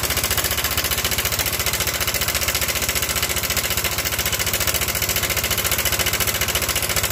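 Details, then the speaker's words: Yamaha Nmax scooter with rough "klotok" noise for several days, side deck removed: a fast, rough, steady clatter at idle; cam chain tensioner broken inside so plunger no longer presses, leaving cam chain slack; fixable by re-hooking. "ini yang terjadi adalah akhir-akhir tensionernya sudah patah atau sudah putus di dalam jadi stutnya ini sudah tidak bisa menekan lagi alhasil tensionernya longgar jadi kampretnya dia ikut longgar dan menyebabkan bunyi yang kasar seperti itu"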